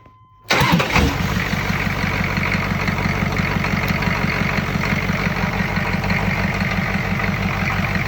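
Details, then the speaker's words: Diesel engine on first start after swap, with used injection pump and newer glow plugs from another engine: brief crank, fires immediately and settles to a steady, even clatter at idle with no misses. "so fire it up and it lights right off so that's cool"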